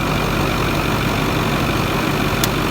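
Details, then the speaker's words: Ford 6.4 diesel dump truck shortly after a cold start, not yet warm: steady, even clatter at idle with no knocks, misses or rattles; cat boots checked with little blow-by, a normal cold idle. "first thing i always look is cat boots to look for blow by not too bad sounds good it's not warm yet"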